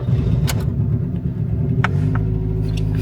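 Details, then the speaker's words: Toyota Yaris ex-undercover police car, unused over four years; alternator charging 14 volts; low, lumpy idle stumbling unevenly and nearly dying, misfiring very badly; cause unknown, owner suspects fuel or air starvation. "you can hear it it's just misfiring really really badly and you can hear it the car is starting to die almost as i"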